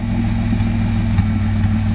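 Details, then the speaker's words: Twin-turbo V6 Mustang on its first start after the turbo build, idling low, steady and surprisingly quiet with an even beat and no knocks or misses; it started easily but was already leaking oil, and idle airflow seems insufficient. Normal idle. "It's actually really quiet right now. Like, Yeah, you're right. I'm surprised."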